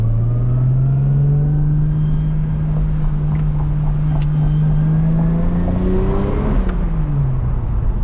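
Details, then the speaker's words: Turbo Lexus IS300 on quick test drive after retightening couplers at throttle body that had popped off and killed boost: rising tone pulling through gears, boost building normally; healthy. "a little more spool there I think we're in business"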